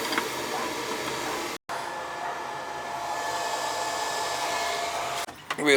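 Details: Riello oil burner that would not fire, after electrode adjustment and a 60-degree nozzle, running with the cover on: a steady, even roar with a clean hiss, no sputter or pulsing, no smoke. Normal burner operation.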